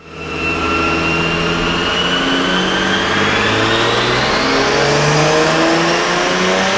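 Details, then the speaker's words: 2JZ-swapped Nissan 350Z on pump gas with ECUMaster standalone, dyno pull at base boost with no boost controller: pitch climbs under full throttle, then a clean smooth soft-cut bounce at the rev limiter, soft cut starting about 200 rpm early. "i expected a little drop because i added in a soft rev limiter cut um so that started cutting power like 200 rpms before the rev limiter so that makes sense that it dropped just a little bit of power but you could hear that we did actually hit the rev limiter"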